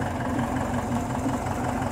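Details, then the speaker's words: Air-cooled engine after generator-to-75 A alternator conversion: steady, even idle with low constant hum, no knocks; slight squeal at start, belt a little loose. "it's running pretty good um yeah it's a little loose so let's get a squeal"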